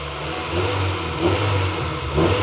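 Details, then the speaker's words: JDM 1998 Honda Integra Type-R DC2 after timing belt, water pump, seals, drive belt, clutch hydraulics and engine mounts replaced, first start before cooling system bled: catches and revs cleanly in smooth swells over an even idle, no knocks, ticks or belt whine. "and guys she sounds really really nice"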